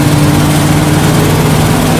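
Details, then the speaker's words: 1979 Dodge 100 truck, still cold, under full-throttle acceleration after a choke fix: pulls steadily with an even low drone and no stumble or misfire. Runs cleanly. "So it's still cold. Let's see how it does at full throttle. Nice."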